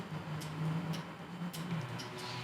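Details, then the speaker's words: Shift solenoid from a Subaru 5EAT automatic transmission, bench-tested on 9-volt battery leads after cleaning with MAF cleaner. Crisp, clean, light clicks roughly every half second; it now unseats properly and the plunger moves freely. "all right so now I can see that it is properly unseating so we have freed this one up and we have proper movement from it"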